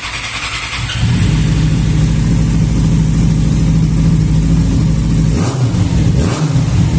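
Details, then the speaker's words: Motorcycle that would not hold a proper idle (idle stayed high), after damaged hoses were replaced: engine catches and settles to a steady, even low thrum with no hunting or surging; idle now normal. "e agora tá resolvido aqui ó simplesmente as mangueiras estava estragado tá tava passando mal demais"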